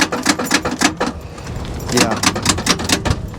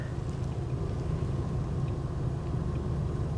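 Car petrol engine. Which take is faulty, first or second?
first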